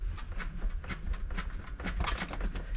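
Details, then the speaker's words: ZiZZO folding bike, front brake squeezed and bike rocked: quick dull knocks about four a second from a loose headset. "and I'll turn it 90 degrees, squeezing the brake again, you can hear that knocking and you can actually see how loose it is. So that tells you how loose the headset is, or if it's loose."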